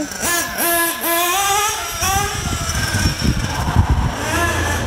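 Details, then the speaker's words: Nitro RC car on high-speed passes after richening the high-speed needle 2 hours counterclockwise: the two-stroke scream still has a faint rattly pinging edge at top speed, as it runs lean and hot; more fuel added. "still have a little bit of pinging cuz it's getting too hot so I'm going to introduce a little bit more fuel"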